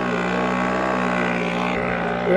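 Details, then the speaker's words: Lohmann 18cc two-stroke variable-compression diesel moped engine after rebuild with new piston, riding uphill with little pedalling: steady even drone at constant pitch, no knocks or misses; healthy under load. "actually riding up a hill now and I'm almost not using the bike part of it as you can [Music] hear"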